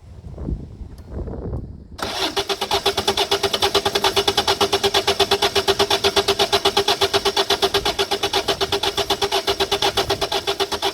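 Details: 2008 Citroën Nemo diesel van starter cranks at an even beat of about three strokes a second and never catches; suspected blocked fuel filter, with the filter fitted and primed by hand pump.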